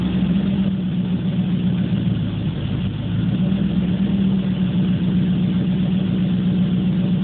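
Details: Warm 1980 Corvette TPI V8 runs clean after about 15 seconds, but the idle hunts, jumping between 500 and 1000 rpm every few seconds instead of holding steady.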